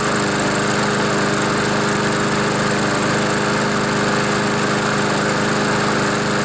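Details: Honda GCV mower engine, junkyard find with oil in air filter and smoking after being tipped wrong: steady even buzzing drone at constant speed, no surging or misfires; runs fine, oil expected to burn off.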